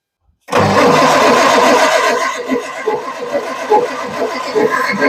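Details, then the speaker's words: Perkins 6-cylinder diesel in homemade RV on 1966 GMC bus chassis, sat about 30 years, injector lines cracked for bleeding: steady starter churn, uneven compression beats about three a second, no catch; lots of air in the lines. "crack this line on the backs side real quick and see for a minute what's going on ton of air huh just bleeding a bunch of air"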